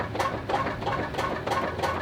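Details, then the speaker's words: Toyota Sienna: rhythmic scraping squeaks about three a second from a worn engine mount; its rubber has worn out, so the metal rubs on metal. "but of course the mounts there's metal rubber then metal and what happens is when the rubber wears out then you got metal on metal and that's why it sounds like this"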